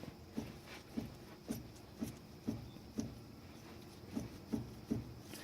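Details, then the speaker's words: `Cuda 8-3/4" rear axle with tapered axle bearings and a billet adjuster backed off one notch for end play (about 0.005 in. specified): light, even clunks as the shaft is rocked in and out, with slight end play and no grinding, which is normal. "So But as all is the axle isn't grinding And then you can feel the play itself. That should be fine."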